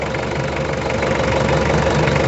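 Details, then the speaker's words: Mitsubishi Kuda 2.5L diesel idling hot during a blow-by check with the oil dipstick pulled; steady, even light clatter, no misses or surging, no smoke from the dipstick, so compression is still good and there is no blow-by. "Nah, ini masih bagus. Belum ngobos ya."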